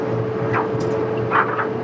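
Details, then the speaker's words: Amana dryer test run after a new heating element (DPD 279838) for a no-heat fault, with the back panel off: even motor hum and soft tumbling; the element glows bright orange and heat is felt, so the problem is solved. "I see it nice and bright that means we're getting heat so that tells me it's problem solved"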